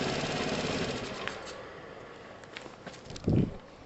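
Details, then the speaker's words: 2012 Piaggio Typhoon scooter with a swapped 125cc engine, first start: rough idle with rapid sputtering pops and a louder chuff; it is spitting from the open emissions tube, which gets blanked off. "what it's doing is spitting from here the emissions tube"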